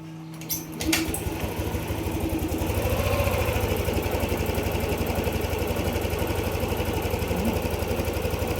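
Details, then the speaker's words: Yamaha NMAX 155 V2 after replacing the CKP sensor, repairing its wiring and derusting the magneto: now starts on one click, but idles with an uneven, slightly lumpy beat about three pulses a second. Rough idle persists. "Kung mapapansin niyo hindi na nga hirap paanderin ang motor. One click na nga ito pero may problema pa rin sa idle."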